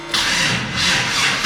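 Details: LS engine with a battery pack connected and voltage rising: starter grinds briefly, then the engine catches and fires up cleanly; normal start.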